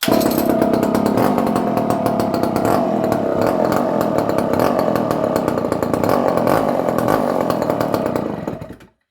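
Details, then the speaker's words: Barn-find Dolmar 118 Super two-stroke chainsaw, circa 1970, stored in a barn for years, quick cold start: uneven hunting idle burble, about 3.5 beats a second, then dies; choke not helping; owner thinks idle carburetion is off. "The carburation is a little bit off. I think in the idling mode."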